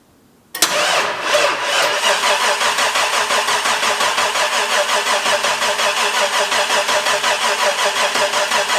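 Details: Non-running Ford XB Falcon interceptor replica in park, cranked after a flat battery had a minute to recover: harsh, uneven-sounding cranking pulses about three per second, never catches; abnormal starter cranking noise, cause unclear.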